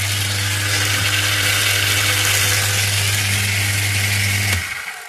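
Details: Repaired submersible pump that had shorted out, tested after repair with no load: even low hum with a steady tone that runs smoothly, then cuts off cleanly; healthy motor with no grinding.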